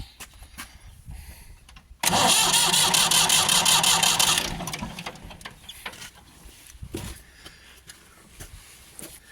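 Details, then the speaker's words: Ford 4600 tractor diesel after fitting a service-exchange injection pump, bleeding the injector pipes as fuel starts to come through; the starter spins the engine with a fast, even beat for about 2.5 seconds but it never catches. No start, air still in the fuel lines. "This all seems to be turning over okay, which is good news."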